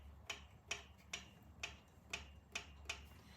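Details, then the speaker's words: Vintage British motorcycle engine at top dead center, valve clearances set about 8 and 10 (thou): seven crisp light metallic taps as the rocker is rocked by hand; intake and exhaust clearance correct, sounding good. "and over here holding it up tapping it down so you got a good8 and 10 here they even sound good"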